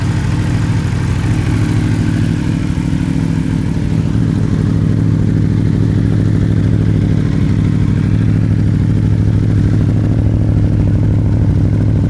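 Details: Aprilia RSV4 with Akrapovic exhaust, warm-up run, first start since adjusting the valves (9 out of spec, now within tolerance), fresh oil: steady, even four-cylinder burble with firm low rumble, no misses or ticking; running healthy.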